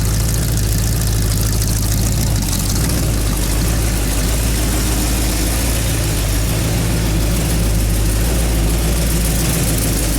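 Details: Freshly built 327 V8 idling warm at about 190–191 degrees, with the driver's side valve cover leaking oil: loud, steady idle with an even, lumpy burble and no knocks or ticks; the engine sounds healthy.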